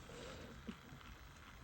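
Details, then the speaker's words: Hornby L1 2-6-4 tank locomotive model, owned since 2011, stiff after sitting in its box, now serviced: low steady motor hum with faint wheel noise, no stutter or grinding; runs nicely, normal running. "So yeah, that runs nicely now."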